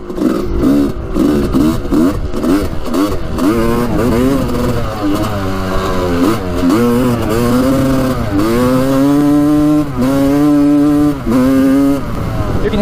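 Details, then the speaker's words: 1986 Honda CR250 two-stroke dirt bike, first ride after repairs, plug and coolant line fixed: revs climb but the note stutters and cuts out from about quarter to three-quarter throttle, boggy in first and second; cause unknown, possibly air leak. "a pam break up right there so like maybe a fourth throttle the three-fourth ride though it really breaks up i don't know what that could be"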